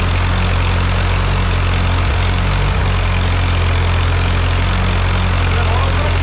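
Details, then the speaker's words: Ford 8N tractor, first start after full engine rebuild: steady, even low thrum at idle with no knocks or rattles; normal idle. "Sounds good. Yeah. No, it sounds really good."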